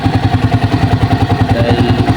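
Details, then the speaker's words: Racal 125 tricycle single-cylinder engine after valve clearance adjustment (not adjusted for two years, valve ticking before): steady even thumping idle about nine beats a second, no top-end ticking, normal idle. "So try natin ngayon try natin ngayon guys na start normal na lang yung tunog na yan guys. Ganyan. Tining na yung kanyang andar guys"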